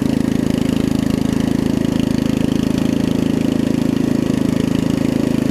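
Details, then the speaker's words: Murray widebody riding mower with 16.5 hp Briggs single-cylinder engine, after new carb, fuel lines and valve adjustment: even beat at steady speed without misses or surging, a little loud from a small exhaust leak; runs and drives great. "It should crank. A little loud. It's got a little exhaust leak, but runs and drives great."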